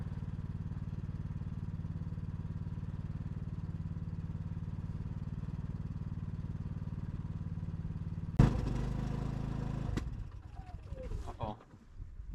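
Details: Off-grid homestead generator after repairs including the air filter: a low, even putter for about eight seconds, then a sudden loud clatter and it dies. Faltering after start; fuel delivery to the carburetor was confirmed fine.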